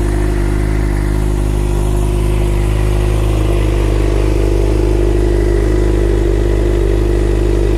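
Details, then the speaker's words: 2011 Suzuki GSXR 600 after replacing a bad starter relay, new fully charged battery: starts and runs with steady, even smooth drone, no knocks or misses. "there we have it guys fix theory which is up and running"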